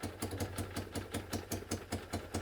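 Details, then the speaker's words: Citroën 2CV flat-twin at slow idle after carburettor reconnected, with the broken exhaust manifold refitted: sharp hissing puff nearly five times a second from exhaust escaping the holed manifold, later bodged with aluminium tape and a hose clamp. "we'll reconnect the carburetor up and i think we'll have a trial very noisy run because that just has to be done"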